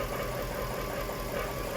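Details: Jaguar XK8 running in a garage after a Transgo pressure regulator valve upgrade and fresh ATF: a loose, metallic, arrhythmic rattle from the transmission over the engine, not solved by the upgrade; fluid level suspected low, cause still unknown.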